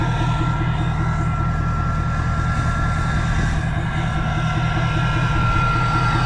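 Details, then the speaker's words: First start after fitting a new No Limit Fab turbo, S&S DCR conversion and GDP piping kit, now near operating temperature: a steady, even diesel idle clatter with a faint high whistle, no misses or knocks, and no leaks so far. Normal diesel idle. "we're just about up to operating temp and so far so good so I don't want to jinx it but I think we can consider this as a success so far that sounds so good"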